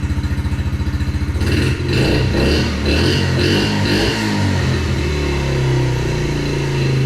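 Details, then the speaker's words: 2021 Yamaha TTR50, idle speed screw raised and mixture leaned slightly (believed to be running too rich): quick even putts, throttle blips rev freely, then a steady smooth idle; sounds good. "yeah so that seems to be pretty good it sound sounds pretty good"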